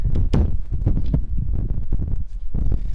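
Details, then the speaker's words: Peugeot 206 HDi gearbox side, new Helix organic clutch kit after about 50 miles: loose, irregular metallic clunking rattle from excessive play on the friction plate splines, the centerpiece over-machined with too much material removed; the clutch bite is also on the floor. "that is the rattle you can hear. So there's a lot of play. It's just machined too much effectively, so there's just too much material taken off this centerpiece here."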